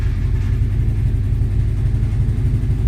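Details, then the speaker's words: 1998 Subaru Forester S boxer engine, 218,000 miles, first start in probably years after timing repair with crank sensor reconnected: starts effortlessly into a low, even idle rumble, timing spinning, no knocking or ticking; normal idle. "Wow. That was effortless. Timing is spinning. Nothing's making any horrible knocking noises."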